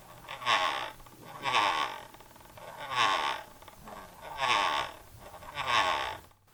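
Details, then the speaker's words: Logitech MX Master 3 after one month of use, mouse powered off: five bursts of sharp, rapid, overly loud electromagnetic scroll wheel ratcheting/grinding, louder than when new; cause not confirmed. "it's still making that really loud ratcheting noise and it's not supposed to be that loud"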